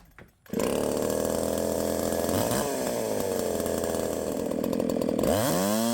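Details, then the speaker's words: 372XP clone chainsaw running after ignition timing advanced a full key's width (flywheel key removed); screams at full revs with rough, blubbery breakup up top and pitch sagging under load, four-stroking from too much advance, to be backed off. "too much Advance we're going to take some out too much Advance that's when all that noise is up top that's just like the echo 590 whenever I Advanced it it was too far I couldn't get it to stop four stroking"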